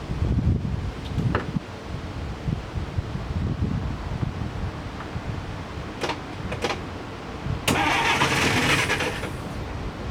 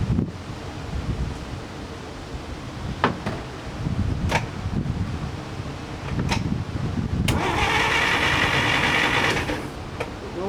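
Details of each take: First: 1947 DeSoto no-start: engine cranks fine and briefly catches and stumbles on a squirt of gasoline, then dies; next checking fuel at the carburetor line. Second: 1947 DeSoto that won't start, with a little gasoline squirted into the engine and ignition on: even, steady starter churning, turning over freely and trying to start without catching. Cranking is normal, so fuel and the rest are judged fine.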